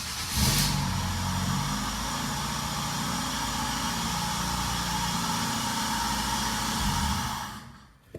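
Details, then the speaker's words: Ford Focus idling after aftermarket intake and filter parts were fitted: uneven, wavering idle that hunts slightly, then fades out. Owner plans to replace a ground and suspects the mass airflow sensor. "okay so it's not idling right so i need to replace the ground but i'm thinking that it's probably this mass airflow because this has all been replaced"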